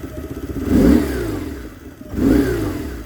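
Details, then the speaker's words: 1999 BMW R1100R, 1085cc air-cooled boxer twin, off center stand: two crisp throttle blips climbing and falling cleanly to loping idle, bike rocking from flywheel torque; revs freely, healthy. "So as I rev up the engine, it'll rock left and right, as you can see that. That's because of what I said earlier. The flywheel is turning this way, so that creates a force which rocks the bike left and right."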